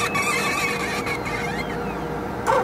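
Thin, high squeaks chirp on and off over the pump's soft mechanical running, a squeaking pump mechanism.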